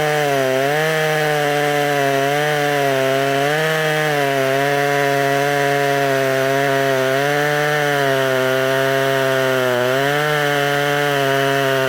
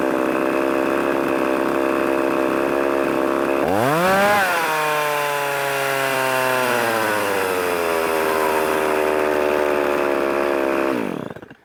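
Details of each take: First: Poulan 3300 chainsaw, freshly revived, cutting wood: a high, steady, clean, crisp buzz that dips slightly and recovers as it bites. It runs well, though the owner suspects a small crank leak from excess pressure. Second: Revived Poulan 3300 chainsaw, now oiling, not hot, otherwise running good. It fires and flares up, then holds a fast, steady buzz instead of dropping to a low idle. Owner suspects the overtightened chain's extra pressure causes the high idle.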